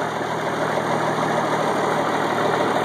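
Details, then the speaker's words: 1986 AM General M35A2C diesel truck, 7,331 miles, 260 hours, all original, cold-started at 26°F after about 3 months unused: steady, even diesel clatter with no misses or knocks while warming up. Normal idle. "Starts right up. I haven't started this truck in probably about 3 months. It's 26 degrees and yeah, like I said, she starts right up every single time."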